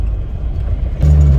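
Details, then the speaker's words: Suzuki Samurai on a test drive after installing a rebuilt transmission, now pulling in second gear. Deep, even drivetrain hum with no whine or clunk; the bad gear noise from the earlier backwards shift collar is gone and it no longer pops out of first. Normal operation. "it had a really bad gear noise it already sounds way better it hasn't popped out of first gear so that's a good sign"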